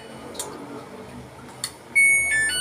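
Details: Samsung automatic washing machine after control board repair (start button previously not working): clear, steady high-pitched beeps as buttons are pressed; panel responds normally.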